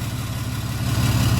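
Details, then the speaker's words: 6.7 Cummins hotshot pickup after injector replacement for a dead cylinder, reassembled: deep, even diesel idle with a steady low beat and no skipped firing pulses; no miss, revs cleanly and VGT kicks in, though it still needs a retune. "No miss. Give her some free revs. Sounds good. And then the VGT kicks in. There we go. Hear him take off. Sounds beautiful."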